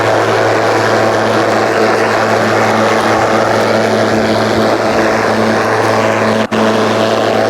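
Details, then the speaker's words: Ryobi 36V brushless mower with 46cm deck, running on two fully charged batteries in power mode through thick kikuyu grass. A steady, high blade whirr holds speed with no bogging or stalling; it cuts strongly under load. "so you got a second battery in there it does give you that extra oomph you know this is not this is like not huge struggle"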